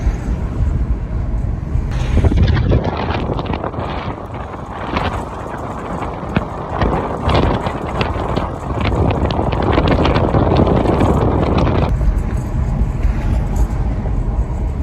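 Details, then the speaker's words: BMW 1 Series while driving: irregular metallic clattering from the rear brake, persistent like a stone in the disc. Cause found to be handbrake shoes fitted upside down: rear brake rattle from incorrectly fitted handbrake shoes. "driving along we've got this rattling noise going on oh we got a noise on the one series coming from the back sounds like it's got a stone in the brake disc or"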